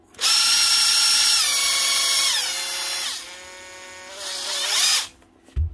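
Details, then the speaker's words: 2014 Makita DTD146 cordless impact driver, run with no load: high motor whine that rises, sags and wavers unevenly in pitch; brushes make full contact, so armature trouble is suspected. "sounds like a [Music] motor you can see the brushes are still making contact if you move the Armature brushes are making full contact with it so it's not the brushes"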